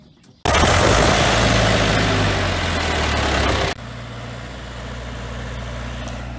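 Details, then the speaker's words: John Deere 6000 highboy sprayer diesel, restarted after running out of fuel and bleeding the fuel filter: catches quickly, then settles into an even, steady idle with no misses or stumbling. "luckily all we had to do is bleed the fuel filter out and start it up"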